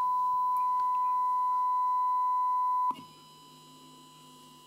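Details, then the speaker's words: Nordmende Transita TS De Luxe radio after restoration and FM dial cord restringing: steady 1 kHz tone from the speaker on FM with an AM-modulated test signal; poor AM rejection, set by the trimmer potentiometer. "the last setting is that little trimmer potentiometer that i showed you there and that's for am rejection"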